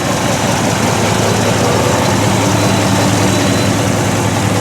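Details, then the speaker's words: 1964 Ford stepside pickup with a fresh stock 302 V8 (dyno'd about 258 hp, 308 ft-lb) replacing a tired 351, heard from the rear: smooth deep burble at steady idle with no misses, knocks or ticks; 160° temperature, 50 psi oil pressure, charging. "Temperature sits at 160. Oil pressure 50 lb volts fully charging. Sounds good when you sure you can hear that or not, but sounds pretty good."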